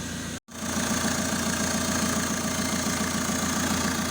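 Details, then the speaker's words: Renault 1.9 diesel, first start after rebuild, running without coolant and without exhaust fitted (catalyst off). Even, steady, quiet idle clatter with no misses or knocks; engine running cleanly. "ale jak widzicie idzie bardzo bardzo równiutko bardzo cicho"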